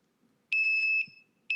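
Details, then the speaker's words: Samurai mini smoke alarm sounding its fire pattern: shrill, loud (85 dB) long steady beep of about half a second repeating after a pause; the carbon monoxide alarm uses a quicker beep instead. "now that was a long sweeping sound the carbon monoxide is a quicker beep so now guys samurai's even made it smarter for you to let you know if you hear that long chirping sound that's fire"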